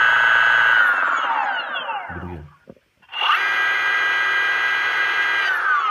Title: Motor bearing failure